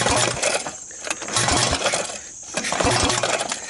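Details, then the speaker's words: 2001 Honda Recon 250 ATV, possibly fire-damaged airbox area, top end reportedly rebuilt before compression loss, pulled on recoil with spark plug installed: soft breathy huff each pull, no firm resistance; almost no compression, cause unconfirmed. "can hear it is what I call huff and puff engine it has nothing I mean nothing for compression and by the way the spark plug is in it's not like the spark plugs out"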